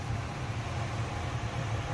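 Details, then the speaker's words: 5-ton 125,000 BTU gas furnace after a new gas valve and thermocouple: even, low whooshing rumble as the blower fan kicks on, with no rattles, squeals or surging. "Oh, it's alive. Fan is blowing. Beautiful."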